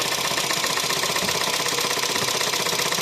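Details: VW Caddy 1.2 TSI petrol engine knocking hard when cold, with signs of neglected oil changes. Right after the oil was pumped through on restart, loud, fast metallic tapping comes from hydraulic lifters not yet filled with oil.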